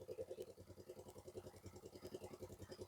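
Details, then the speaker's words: Wave100 motorcycle engine rebuilt with new piston, rings, valves and valve seals, on its first start after assembly, fresh oil, cool winter weather. It starts on the first try and idles with an even, steady putter during run-in, with no knocks or rattles. "ครับก็คงต้องลันอินไว้อย่างนี้ก่อนนะครับัก10-20นาทีก็สมบูรณ์แล้วนะครับ"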